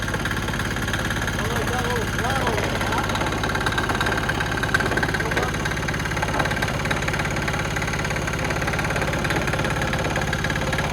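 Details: New cheap Chinese 196cc four-stroke single-cylinder diesel, 22:1 compression, rated 3000 rpm, fuel bled before starting: steady, even chug at idle with no misses or knocks; normal idle.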